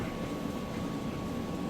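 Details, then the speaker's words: Refurbished Kenmore electric dryer, heating correctly: a steady, even hum of drum and blower with a faint constant tone. No knocks, scrapes or squeals; running normally. "and then over here on the dryer that it also sounds great and heats correctly"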